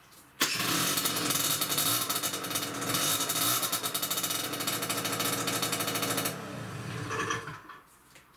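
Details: Peugeot Speedfight 2 50cc two-stroke scooter after the exhaust hole was covered with heat-proof wadding, a cut exhaust clamp and a heavy-duty jubilee clip: raspy, hissy blat while revving; exhaust still noisy but no longer leaking from the hole.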